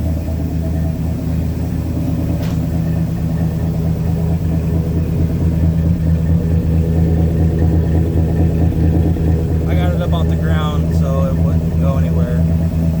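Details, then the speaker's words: Chevy S10 with a cammed V6, first cold start in six months after a new clutch, new flywheel and rebuilt power steering pump: it fires on the first try after a brief hesitation, then a lumpy, loping low rumble at idle; running cleanly. "okay fired up on the first try it hesitated there for a second but it fired up yeah that's what that uh cam v6 sounds like man that sounds good"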